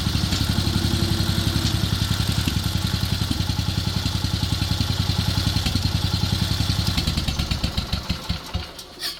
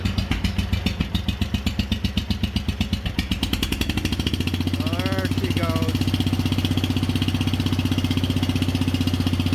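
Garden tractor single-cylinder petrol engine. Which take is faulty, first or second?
second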